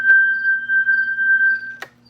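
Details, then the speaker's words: Normal drawbar operation on a Hammond organ after repairing the resistance wire bridging the drawbar contacts: clean organ note held steady for nearly two seconds with only normal zipper stepping and no dropouts. "here normal zipper noise no more dropouts this one here is working"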